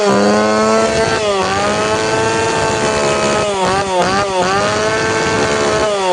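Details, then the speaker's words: Tanaka PowerMate PMS340 two-stroke pruning saw, warm engine, after fuel delivery system repair; high revs sag and surge unevenly, sound not clear; carburetor needs a little more tuning. "เสียงมันไม่ใสน่าจะดีกว่านี้ขอปรับจูนอีกนิดครับ"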